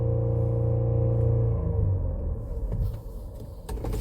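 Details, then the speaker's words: 2017 Ford Explorer petrol engine after software reprogramming fix for misfire codes P0300, P0302, P0306 (previously misfired within a minute of revving in park despite new plugs); parked revving now even and clean, no stumble or popping. Normal revving. "ترجع السياره طياره بالاول كان حتى في ال الباركنج وادعس بنزين بهذا الشكل لمده دقيقه او اقل من دقيقه برضه تفتف او يصير فيه مسفاير متقطع الحين"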